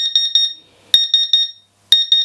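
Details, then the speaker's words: Laser cutter water chiller at switch-on: shrill high beeps in quick groups of about four, repeating roughly every second; alarm caused by a dead 24 V power supply. "pretty much nothing yeah this power supply i think is toast"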